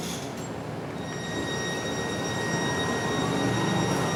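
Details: MAN NL323F A22 Gemilang bus, heard inside and outside: steady high whine with several pure tones over the running noise, likely driveline, cause not yet clear.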